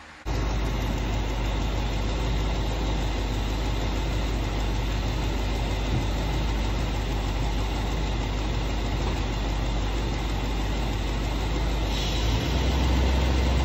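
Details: 1966 Ford Thunderbird idling, steady low V8 idle that lifts in pitch and loudness near the end as the brake pedal is pressed; pedal mostly air after booster rod adjustment, owner told it's a vacuum issue, cause unconfirmed.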